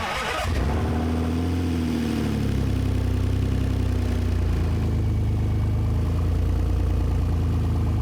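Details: 2000 BMW E46 after an engine swap (the original had stripped head threads and damaged cylinder walls, and overheated): the starter cranks briefly, then it settles into a smooth, even idle with no knocks or ticks; a normal start and idle.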